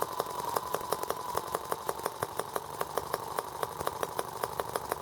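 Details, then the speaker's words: R18 model engine on first start with a replacement Hall sensor harness; ignition now works. Sharp, even ticks about five a second over a thin idle with a lopsided shaking beat. Rough running and rocking, cause unknown; nothing was loosened. "Now I wonder why it's rocking so hard. I didn't loosen anything up."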